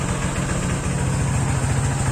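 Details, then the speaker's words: Honda PCX 150 scooter fitted with a cheap open air filter, at idle: low, even thrum with a steady beat and no hollow intake honk or open-carburetor-like sound; idles cleanly and healthy. "Nah, nggak ada suara yang namanya istilahnya suara dari kayak istilahnya karburator kebuka gitu, nggak ada ya, aman ya."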